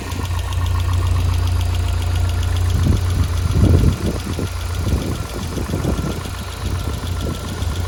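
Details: Lotus Elise with K Series engine at idle; light quick ticking, a few hundred per minute, over a steady idle rumble: top-end tick, cause unknown.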